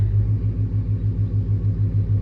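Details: Truck with long tube headers, in drive: steady, even low rumble with a smooth pulse and no metallic ring; the driver's side header hits the shift cable and rattles most in neutral and reverse.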